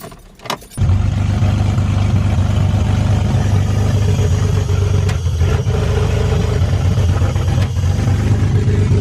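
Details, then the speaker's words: BMW 330i drift car, just fitted eBay headers, rest of exhaust not connected because flanges didn't line up: engine catches into a loud, deep, raspy, rough pulsing idle; open header exhaust. "I like how it sounded. It was really raspy because it's just headers, but I mean, what else to expect?"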